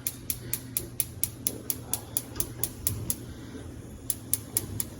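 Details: Whirlpool gas range with all burners turned on: sharp igniter ticks repeat steadily just over twice a second over a low room hum as the burners light normally to full flame.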